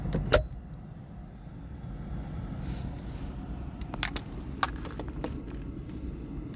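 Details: Chevy Trax: sharp metallic chirps pop irregularly over a steady low hum from a failing fan motor.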